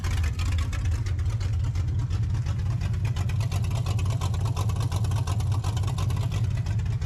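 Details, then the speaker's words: 1984 Mustang GT350 V8 with 268 cam on open headers, warming up: loud deep choppy idle with strong lumpy pulse, no knocks or ticks; healthy. "That's that 268 singing, man. It's a good one."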